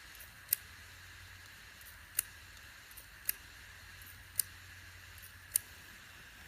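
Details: 2.5-inch external hard drive powered only by USB: sharp, dry "clac" clicks about once a second over a faint spinning hum, platter slowing slightly at each click; head fault suspected.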